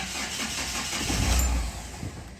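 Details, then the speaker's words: Mahindra Xylo, not starting for 3–4 months, before repair: cranks, catches for about half a second, then dies straight away; start-and-stall complaint, later fixed by repairing the injector circuit. "So ஒரு momentary start ஆகி உடனே of ஆகிடுது. இதுதான் complaint."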